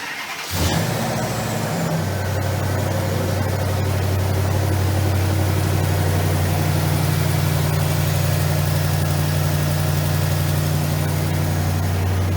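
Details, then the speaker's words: Healthy start and revs on a 1965 Fargo with a Hemi V8 swap, Walbro 362 pump and Corvette regulator: it fires right up, settles into a deep, steady idle with a strong, even exhaust note, then clean blips from custom exhaust tips. "come on guys you didn't think we leave without firing this up did you go for it Glenn"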